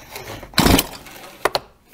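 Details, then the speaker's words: Stihl MS211C chainsaw, new, easy-start recoil: quiet winding, then one sharp pop as the wound-up recoil spring releases by itself and spins the engine over; starter working as intended. "there it just popped all by itself see that so that's the recoil spring actually winding it up for you so you don't have to jerk on it"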